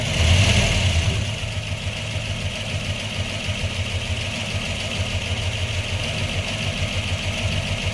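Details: 1997 Pontiac Trans Am WS6 LT1 with a P0301 code: lumpy V8 idle stumbling about three times a second, a cylinder 1 misfire. It has a stock fuel system, 1.65 roller rockers and long-tube headers; fuel pressure is slightly low, injectors and plugs are OK, and the Opti is being tested.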